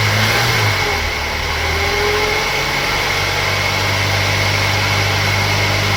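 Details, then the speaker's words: Opel Omega A GLS 2.4i CIH estate, parked in a barn since 2003, first run after fresh petrol was added: an even, steady engine note that rises and settles smoothly, with no tappet tapping or ticking. Normal running. "Good old Vauxhall Opel technology. There's not a tappet or anything noisy on that. That's running mint."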